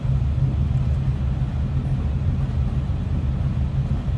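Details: 1941 Cadillac Series 62 coupe, 346 V8, in neutral, heard from the rear at the exhaust: low, even exhaust burble at idle with no misses, ticks or pops; smooth, healthy-running engine.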